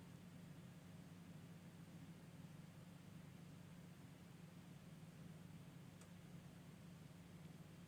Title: no loud noise after my PC has been restarted..